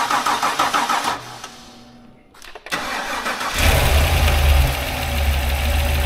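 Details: 6.2 Ecotec3 V8 in a Yukon, first start after repair once the missing battery-to-engine ground was bolted on: steady cranking chuffs, a pause, then it fires into a strong, even idle with no knocks or misses. Healthy start.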